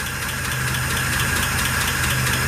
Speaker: you know one round's ticking there it is about ticket yeah it's in here yeah it's front three i don't know which one